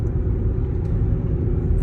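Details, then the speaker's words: Cooper Endurance Plus tires loud since rotation, balance and minimal alignment; constant deep roar through cabin at highway speed (around 57 mph), no rhythm or whine; owner suspects tires, maybe wheel bearings, unconfirmed. Tire roar. "But the tires I have on here now, I didn't notice them being loud until I had them rotated and balanced,"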